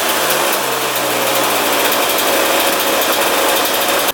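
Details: 2001 Yamaha YZ125 two-stroke, first start after fresh top-end rebuild, new pipe and cleaned carb: fast buzzy idle stays high without settling, then cuts off.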